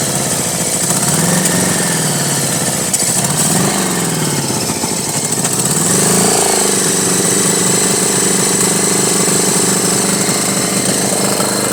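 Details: 1983 Honda Goldwing Aspencade project bike, engine running for the first time after revival, started on full choke; loud uneven note with lumpy pulses and surging revs, not settling to clean idle, runs rough, fuelling needs sorting.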